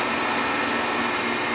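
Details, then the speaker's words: 2002 Clausing-Colchester 15" x 50" gap-bed lathe, headstock running in low range around 25–33 RPM: smooth even hiss, no knocks or rattles; headstock sounds beautiful, machine runs very good. "Headstock sounds beautiful."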